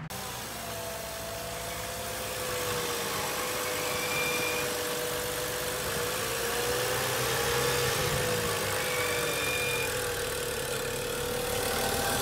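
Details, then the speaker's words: BMW E92 335i, N55 engine, idling before valve cover/gasket replacement: thin, steady high whistle wavering slightly over smooth idle, holding pitch; weird squeal the owner believes is the PCV system, not confirmed. "Just because I have a weird certain squealing noise that we'll actually put a clip in of that happening."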